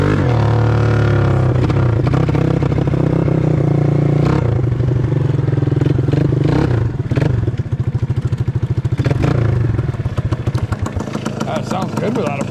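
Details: Honda MR175 Elsinore two-stroke after fixing its no-spark problem, exhaust pipe off: raspy crackle with rapid popping pulses rising and falling with throttle; runs fine, just loud. Normal running.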